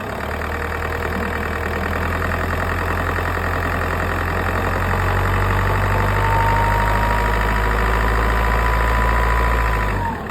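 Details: Audi A3 8P S-line 2.0 TDI diesel idling with a steady metallic rattle, about four knocks a second over the engine note, continuing back at idle; flywheel suspected, not confirmed.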